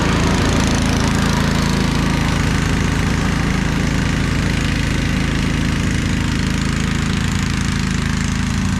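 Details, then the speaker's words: Snapper Yard Cruiser zero-turn mower with 42-inch cut, revived after a mouse nest, mowing heavy grass: steady, even engine drone holding speed, no misses or knocks, no smoke, didn't get too hot on a mild day; normal running under load. "Doesn't seem to smoke or anything. Seemed like a pretty good runner. Didn't get too hot."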